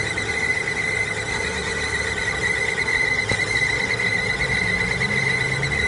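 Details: Shrill, steady timing belt squeal sitting high over the engine the whole time without a break.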